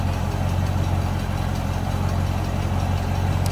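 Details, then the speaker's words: 1928 Marmon Model 78 Roadster inline-8, warming up briefly, recorded from the rear: deep, even purr at steady low idle, no tapping or stumbling; healthy idle. "Let it warm up just a tad here. Slip around to the back so you can hear it run."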